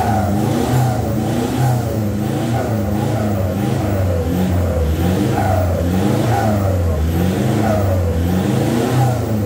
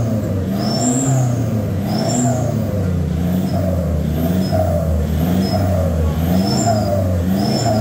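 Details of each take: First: VNT turbo diesel after a full exhaust replacement with a new 3-inch tailpipe, the old worn tailpipe having made a metal-on-metal sound: deep, even exhaust drone with smooth revs rising and falling, no popping or rattles; healthy exhaust note. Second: VNT turbo diesel revving: rough metallic clashing rattle over the exhaust drone, because the old tailpipe's packing was burnt out; the tailpipe is replaced with a 3-inch one.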